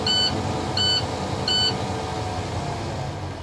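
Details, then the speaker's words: Truck air-brake test, in-cab: engine running after start with parking brakes set, three high beeps about every three-quarters of a second then silence, the low air pressure warning buzzer cutting off once air builds above 60 psi. "I'm going to let the air pressure build above 60 psi so the warning light and buzzer will cut off."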